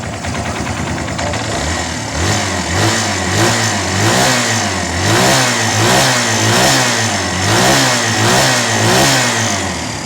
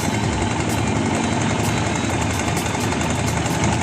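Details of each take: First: Barako 2 single-cylinder motorcycle idling and blipping evenly with no top-end ticking or rattle, after fixing timing chain side noise and resetting the tensioner. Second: Barako 2 single-cylinder motorcycle idling with a busy metallic rattle and light ticking from the cam chain tensioner; noise disappears when revved; repaired by replacing the tensioner after setting timing.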